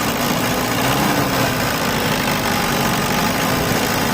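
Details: Diesel engine with a hard-starting complaint, with glow plugs being removed and tested: even idle with a steady rumble and no stumbling or misfire; the engine idles smoothly and sounds healthy.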